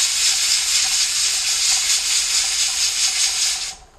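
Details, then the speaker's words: Pressure canner weight rocking after the first whistle, with heat turned down slightly to avoid excess pressure: steady sharp hiss with rhythmic pulsing; normal venting at working pressure. "Donc, je vais le descendre comme ça pour éviter d'avoir une pression qui est trop élevée. Et donc, on entend le poids siffler."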